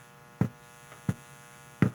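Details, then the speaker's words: Behringer 802 mixer left powered on for years: constant low rough electrical buzz, amplified through channels, with handling thumps; mains hum. "So, the noise is getting amplified by the amplifiers in the channels."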